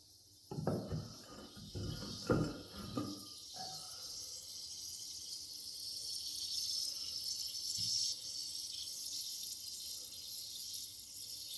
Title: toilet hissing noise